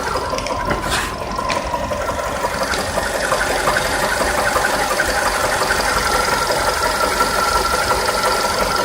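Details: VW Polo sedan engine running with a fairly regular light knock over the idle, roughly three taps a second; engine knock, cause unclear.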